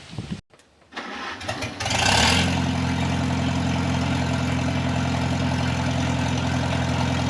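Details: Old tractor that died after its fuel leaked out, restarting after refuelling on a weak battery: slow crank for about a second, then it catches, picks up and settles into a steady, even idle. Engine cranks and starts.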